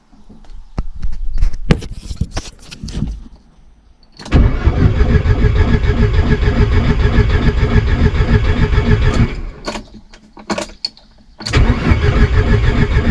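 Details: VW Golf 1.8 turbo on its first start attempt, coils and injectors connected. Starter churns in long steady bursts of about three beats a second but never catches. Crank, no start.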